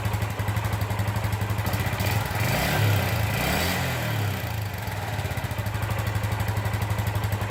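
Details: 2001 Suzuki GZ250 single-cylinder running right after an oil and filter change, started with the clutch in: an even, steady thump with a small rev in the middle. Normal idle.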